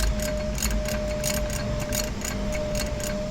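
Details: Hero/Honda scooter (Activa-type), engine turned by hand with starter exposed: uneven light ticking, about three taps a second, as the bent crankshaft brings the self-start bendix into rubbing contact; fix is tapping the crank straight and rechecking rotation.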